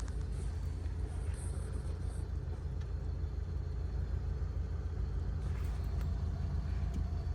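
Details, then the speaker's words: Ford Crown Victoria, recently given new transmission fluid and filter and a new power steering return hose, heard from inside the cabin while cruising: only a soft, steady road rumble with no knocks, whines or rattles; quiet and healthy. "do you notice how quiet it is inside the car just what a beautiful car"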